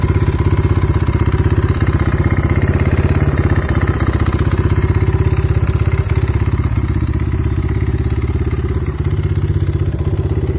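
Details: Kayo T5 at idle: a dull, regular knock rides on every beat, about three per second, from inside the engine. Cause unknown.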